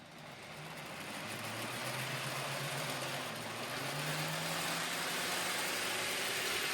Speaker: now as you'll hear it is quite a noisy train but remember this is quite an old grown Farish chassis